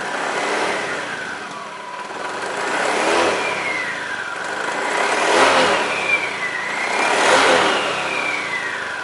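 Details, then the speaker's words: Honda Beat scooter before repair, revved and released: humming drone sweeping down in pitch on deceleration, quieter under throttle; suspected worn rear automatic pulley bearing in the CVT. "Nah jadi Suaranya kayak gitu ya begitu turun gas begitu turun gas langsung ada suara mendengung"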